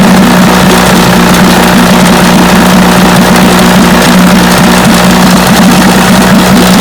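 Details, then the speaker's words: Vintage Johnson outboard motor that misfired at high speed, after replacing new but pitted ignition points with another new set: steady even buzzing run with no misses, the pitted points being the cause. "i believe that was the problem that's more steady running easy yep that was the trouble points"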